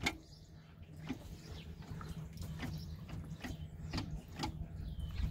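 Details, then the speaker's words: Fiat Multipla clatter when shifting: faint, irregular sharp clicks every second or so over a low hum; owner thinks it sounds like it is inside the gearbox, possibly a joint, not confirmed. "das hört sich eigentlich so an als wäre es nur im Getriebe drin ne"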